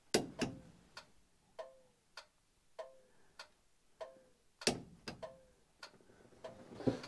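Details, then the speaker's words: 1980 Dodge W200 with Magnum 5.9L, restoration electrical testing: crisp ticks in steady on-off pairs about a hundred a minute over quiet background; turn signal flasher cycling normally. "We got a turn signal. I see it blinking."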